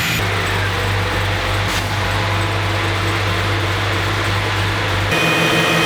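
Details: ZL1 Camaro V8 after replacing a bad mass airflow sensor that had fouled the spark plugs by running too rich: a deep, even rumble with a steady beat and no ticking or puffing from the headers. Normal, healthy exhaust note.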